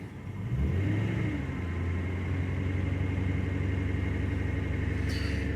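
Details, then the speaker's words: 2002 Ford Crown Victoria 4.6L V8, 103K miles, cold start about 50°F: held on light throttle, revs sag and bog then stall once pedal released; intermittent cold-start issue, idle air control valve suspected. "see minute i let go of the gas it starts to bog and then it shuts off"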